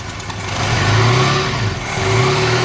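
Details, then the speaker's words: 1987 Dodge Ram 50 carbureted engine with suspected fuel starvation, sat overnight, mechanical fuel pump and filter checked: pulls up cleanly through two smooth blips and returns to idle without stumbling; accelerator pump and fuel delivery fine. "this seems to accelerate just fine so I don't think it's an accelerator pump issue"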